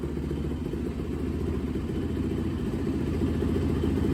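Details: 2004 Yamaha YZ450F single after inspection, valve clearance, timing and carb/jet cleaning tune-up: brisk steady idle thumping with faint light valvetrain clatter underneath, holds speed evenly; runs healthy.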